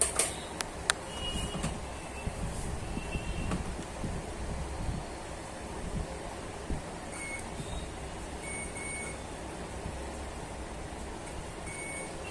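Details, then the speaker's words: Samsung UA40K5000AR LED TV (V400HJ6-PE1), no picture; removed capacitor from beside CD20 checked off-board on continuity, short clean beeps on each probe touch confirm it shorted, which caused missing DC-DC IC voltages. "आप देख सकते हो PF short दिखा रहा है, जिसके कारण हमारे डीसी टू डीसी आईसी के वोल्टेज मिस हो रहे थे।"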